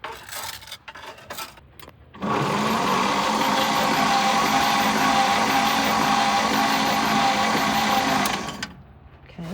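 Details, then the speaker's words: 1952 Chevy with a 6-volt system, sitting for years, spark plugs out: steady, even cranking at about three turns a second with no catching. Slow but normal for the 6-volt starter. "that sounded slow, but it is 6 volts."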